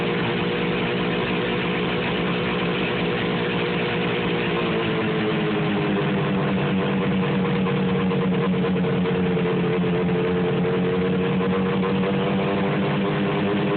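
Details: 1973 John Deere JDX8 two-stroke snowmobile on snow for the first time: the idle hunts and wavers in pitch instead of settling, running rough.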